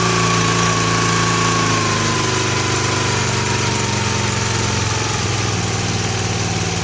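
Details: 1965 Honda E300 generator after spark repair, using choke, with the throttle slowed down: the small single settles into a slow, even putter with no knocks or misses, making little power that low. Normal low-speed idle.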